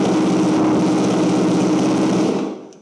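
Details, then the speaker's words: Wrecked 2023 Yamaha YZF-R1 started indoors in a garage; fast, harsh, very loud buzzing run cutting off cleanly: loud exhaust, cause unconfirmed. "That is super loud, but it starts and the lights work, which is a massive bonus,"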